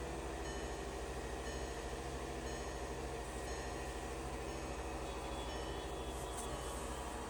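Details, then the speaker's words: VW Golf Mk5 started after a fuel-pump replacement and several days sitting: a steady idle raised above 1000 rpm hums evenly with no ticking or misfire, gradually dropping as it warms; a normal cold fast idle. "You can see it doing the starting sequence. By raising above 1000 RPMs, it will gradually come down while it heats up."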